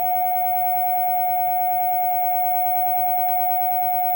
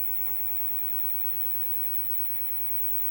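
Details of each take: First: Fenton Weill Bass 15 valve amp, capacitor temporarily bridged: clean, steady signal-generator tone for eight seconds without crackle, hum or dropouts, then cuts off; amp working, though tone controls don't work. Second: Fenton Weill Bass 15 valve amp, replacement GEC EF86 just warmed up, HT 308 V: loud steady hiss across the whole range with low hum underneath, no signal playing; noisy preamp stage.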